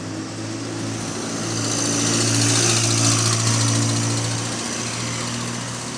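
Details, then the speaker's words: Bus diesel (one of GAL SE47, GAL 762, AL ENX27 on routes 126/B15): a heavy drone with a steady knock about four times a second. Something sounds wrong; the cause is unknown. "Brother, that sounds clapped, fam. What the hell's going on there?"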